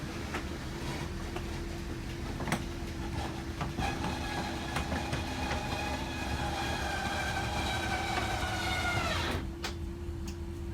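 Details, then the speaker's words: RV slide-out retracting, button held until the mechanism stops on its own and the slide is fully seated: steady electric motor drone with a faint whine, cutting off cleanly. Normal retraction. "and now we're going to move the slide outs back into position. So again, we're going to let it come in until it's fully seated."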